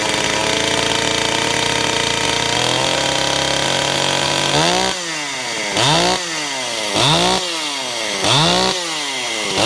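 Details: Ported Stihl 028 Wood Boss, weird run condition fixed by adding a gasket between carburetor and intake, tired clutch springs; clean steady high rev then settled idle with crisp even blips about every second: normal running.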